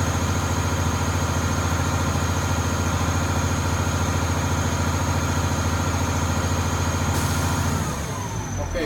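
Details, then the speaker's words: Maryland school bus pre-trip air brake test, diesel idling while building air pressure: steady idle thrum, then a sudden sharp air hiss as the dryer purges. The air tanks are full at 120 psi and the governor has cut out. "Okay, that sound right there, that's an indication that the air tanks are full and your air pressure is at 120 psi."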